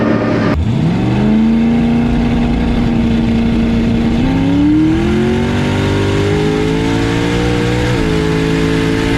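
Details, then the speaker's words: Boosted drag car launching on street test hits: after launch the note stutters and hangs flat a few seconds, then climbs slowly, slow to build boost, barely a burnout; bog off launch, owner suspects launch rpm set too low. "Sound like it was just kind of stuttering down low a little bit. Yeah, it sounds like it doesn't want to come up on boost."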